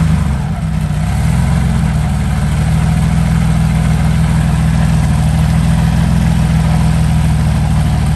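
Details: Meteor Interceptor V12, first start after complete rewiring, car jacked up for gearbox test: deep, loud, even rumble at steady idle, no knocking, no smoke, smooth and strong; gearbox worked; normal idle.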